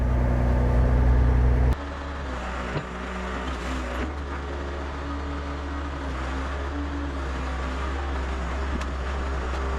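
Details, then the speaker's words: Excavator with Deutz diesel, started after about three months sitting: brief start-up surge then steady, even low idle with no misses or knocks; starts right up, healthy engine, checking for hydraulic swivel joint drips. "Yeah, that Deutz likes to run."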